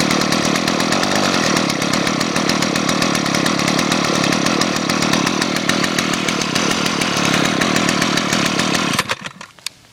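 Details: Gas two-stroke engine running cold in freezing weather, not warmed up: buzzy two-stroke holds a fairly even high-pitched drone for nine seconds, then cuts out; normal running, cold engine.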